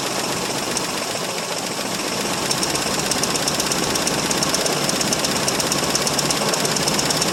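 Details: 1968 Mercury Monterey, one-owner survivor, 390 FE V8 with two-barrel carb, cold start after sitting about 20 years: runs loud and ragged with fast uneven ticking knock over exhaust; possibly a sticking valve, oil light status uncertain.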